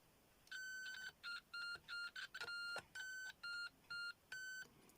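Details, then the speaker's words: Homemade late-1980s pitch-indicating continuity tester checking points on equipment: about ten crisp high beeps starting and stopping as contacts close, pitch showing which connected pairs have some resistance. "so you can see that point there and that point there are connected but these two aren't but those two are those two are connected but there's a lot and those two are connected but there's a lower there's a resistance between those two"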